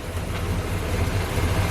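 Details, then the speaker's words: Barn-find vehicle idling after first start in six years, with power steering and air conditioning, quieter than expected. Steady, even low rumble with no knocks, misses or ticks: normal idle. "they're so smooth aren't they that's weird the power steering and air conditioning oh no that's amazing i thought it was a lot louder than it was"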